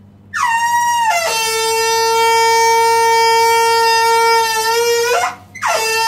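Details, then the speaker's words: Combi boiler water fill tap honking loudly like a horn as water flows in; the fill valve is faulty and replacing it stops the noise. "kombide böyle ses varsa korkmayın bakın nereden yapıyor bu sesi Su doldurma musluğundan buna Korkacak bir şey yok korkmayın"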